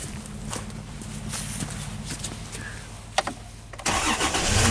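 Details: Dodge Dakota with a PCI bus fault, restarted after removing a ground on the sensor reference during diagnosis: starter cranks evenly almost four seconds, then catches cleanly and settles into steady idle; normal start, fault not recreated.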